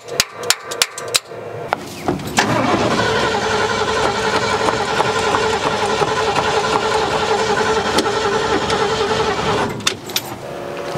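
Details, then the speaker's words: 1972 Ford F100 unused 12+ years: starter spins engine steadily at a few hundred rpm but it never fires; owner suspects no fuel reaching carburetor, unsure, possibly flooding now; cranking without starting. "we're just not getting anything. I'm not sure what it could be. I mean, it could be flooding now at this point."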